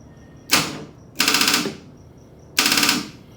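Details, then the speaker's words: Nissan 240SX with a freshly installed 1JZ engine, first crank attempt with no fuel in the system: three bursts of rapid starter clicking and no turnover. Dead battery, later jump-started. "well it's dead let's go ahead and charge the battery and then we'll go from there"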